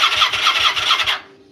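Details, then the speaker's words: Vulcan being started after the key was cycled to prime, possibly with too much gas. Rapid chuffing bursts, about five per second, while cranking, then silence. It backfires out of the intake on starting. "All right, let's try it. All right, so it did backfire out of the uh intake."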